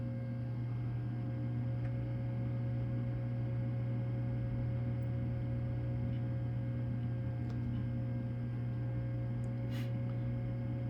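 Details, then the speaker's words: Liquid-cooled Power Mac G5 Quad (4×2.5 GHz) at its first power-on, phone held close, motorcycles in the background. A steady low hum from fans and coolant pump spinning up like a jet, quieting once booted; normal. "so like a jet engine uh warming up not that loud so okay now the yep it's booting up as soon as it boots up it becomes much quieter"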